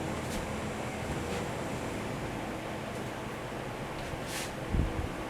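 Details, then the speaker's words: 1975 Corvette C3 heater blower, after high-speed fan relay troubleshooting: relay opened and fan drops to low speed, giving a soft steady rush of air with no rattle, squeal or surging. "all right we'll turn him off the relay should have opened and it looked like it did all right good deal because it's on a lower speed now"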